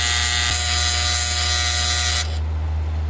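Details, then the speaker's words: Outdoor AC condensing unit with the panel removed, thermostat calling for cooling with 24 V still present: harsh electrical buzz with steady mains hum and a raspy high edge that suddenly drops away; contactor suspected to be failing and chattering. "what's happening is our contactor is starting to fail"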